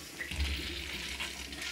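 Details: Urinal Sloan flush valve after water hammer repair, smaller 1.0 diaphragm fitted in place of 1.75 and cap replaced: steady rush of water with low rumble, no banging as it shuts off; normal flush.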